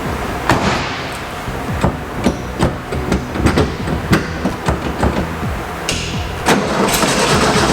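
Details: 1958 Porsche 356A Convertible D air-cooled engine, first start after 20+ years sitting, fresh battery and fuel lines blown out: uneven stumbling firing with irregular thumps as it catches; rough running after long storage, leaking carburetors need rebuild kits.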